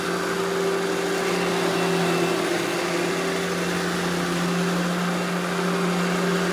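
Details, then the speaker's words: Eureka The Boss Smart Vac 4870 GZ upright vacuum with replaced belt, demo run; steady even motor hum with airflow hiss, no wobble or rattle; normal vacuum running smoothly. "all right now I'm gonna go ahead and turn this thing on demo it for you guys and you can hear how smooth it runs"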